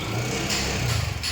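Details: TVS Jupiter 125 scooter at idle right after start-up: light, quick ticking over the uneven idle; customer's engine noise complaint, mechanic checking for loose tappets under the tappet cover.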